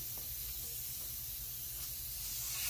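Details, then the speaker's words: Steady high hiss of air escaping through a small tear in an off-road tire's sidewall after a glue repair attempt; soapy water confirms a tiny leaking spot. "i don't hear it instantly hissing out this is leaking oh wait a minute"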